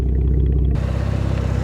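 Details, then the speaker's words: 2012 Camaro, non-V8 engine, after radiator repair: low, even, quiet idle with steady beat, no chain rattle, ticking or knocking; earlier weird sound was computer box against a pulley. Normal healthy idle. "That sounds good. It ain't no V8, but I'll tell you what, it sounds good."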